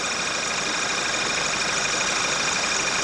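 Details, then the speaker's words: Running engine with high-pressure fuel pump disconnected, located with an acoustic camera: harsh high-pitched hiss and howl, steady, from the end of the metal pipe between high-pressure pump and fuel rail. "So what we've actually got down here is the high pressure pump here, which I've disconnected, and then on the bottom of the high pressure pump there's that metal pipe that goes into the rail, and that pipe, at the end of that pipe, is creating a lot of noise"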